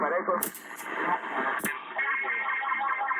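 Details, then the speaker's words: December 1976 President Washington CB base station (Uniden uPD858 PLL) after recap, alignment and replacing/peaking a tuning can: clean, clear voice-band audio with little hiss or crackle — normal clear reception. "so I can hear the 111 guy perfectly clear now"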